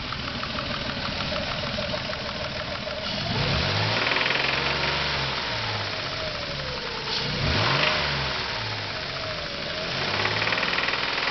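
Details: SHO petrol engine revved in bursts: a rapid knock rides the engine note above about 2,500 rpm after hard driving, with rod bearings replaced about 5,000 miles ago; no knock at idle, though valve click is slightly louder than normal.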